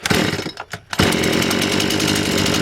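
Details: Stihl 180 chainsaw with replaced piston, warm cylinder, after work to cure a hesitation on throttle: sputters briefly, catches at about one second, then holds a steady, even high-pitched run at full throttle; now running properly.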